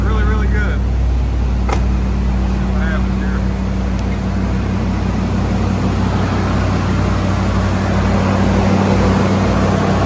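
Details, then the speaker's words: 1987–1995 Ford F-series truck, 5.0/5.8 V8 with fuel injection, after throttle position sensor work for hard starts, stalling and rough idle; cold start, warming up: smooth, even fast idle with a steady low beat and no stumbling or hunting. "Should idle down here in a minute. We're going to let it warm up a minute."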